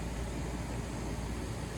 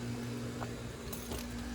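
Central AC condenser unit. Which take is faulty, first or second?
second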